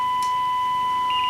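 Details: Rexina medium-wave radio receiving a DDS-modulated 1 kHz test tone at moderate signal strength: steady, pure tone, clean and undistorted, faint hiss and a brief click near the end. Strong signals distort it; IF AGC is suspected.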